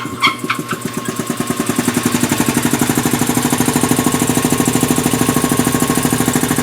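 Steady, even firing beat of about two pulses a second settling after startup, no knocks or misses; engine running smoothly.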